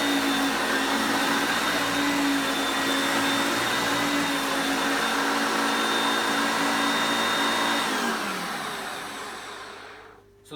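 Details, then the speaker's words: Hoover Concepts self-propelled upright vacuum: a steady high motor whine that dips slightly in pitch as the self-propel drive gears engage moving back and forth, then winds down at switch-off; normal. "one thing I noticed is that when you put it on the drive for the self-propelled you will hear the motor pitch change as the gears change to me moving it back and forth as you can see there"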